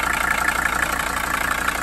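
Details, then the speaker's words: 1982 Mercedes 300SD turbo diesel, bought non-running, just revived on the trailer; steady, even diesel clatter at idle with regular beat, no misses or knocks; normal idle. "keep running sounds all right about what no diesel sounds like"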